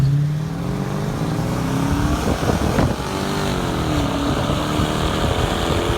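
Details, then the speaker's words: 2002 Mercedes W210 E430 V8 with stock exhaust except rear muffler cut off: loud, deep burble swelling with each rev and settling back; sounded nice but droned on the highway, muffler delete later removed. "it did sound nice and I I I could live with it cuz I didn't really drive too much on the highway at the time but yeah I did drone and eventually I did end up taking that off"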